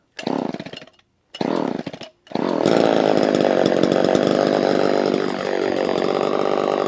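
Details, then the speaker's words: Vintage Homelite two-stroke chainsaw with thumb-pump oiler, started ice cold: two pulls, then it catches and holds a steady, clean high buzz with a slight dip; the saw runs well. "so yeah let's fire it up and you can you can hear the difference between these saws and newer saws"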